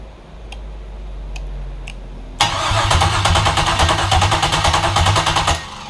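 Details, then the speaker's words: V8 swapped into a Datsun 720, first startup, coils and fuel pump unplugged to crank and get oil flowing: strong even starter cranking about three beats a second for three seconds, engine turning freely without firing. Normal priming crank. "have all the coils unplugged and the fuel pump is unplugged and we're going to go ahead and crank it over a couple times and just get some oil flowing"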